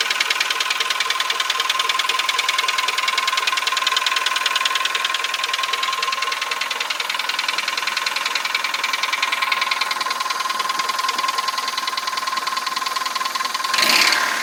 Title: Engine noise (piston slap)